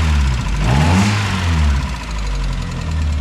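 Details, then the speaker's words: 1994 Mazda Miata, cold idle after starter repair; head milled, timing redone at head gasket job, new lifters, plugs and wires: uneven light ticking over a rough idle, cause unconfirmed; owner says it quiets after 5–10 minutes. "I wish that ticking would go away. I've already redone the whole timing on this head gasket."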